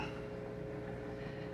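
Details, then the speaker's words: XpertMatic DB-366 aquarium air pump running two air stones in a 150-gallon tank; soft steady hum with even airy hiss and slight normal vibration, no rattle, strong airflow. "i imagine some of you probably use it all the way up it's a good airflow and what you hear that's the vibration that you'll hear"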